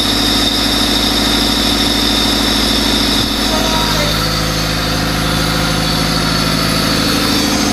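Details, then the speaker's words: Lifted Civic project car, OBD1 D16Z6 with OBD2B conversion, first start after rewiring: engine catches and settles into a steady, even idle with a regular beat and no knocks or misses; runs clean. "Now that I know it, that everything works and it'll run, now I can button everything up."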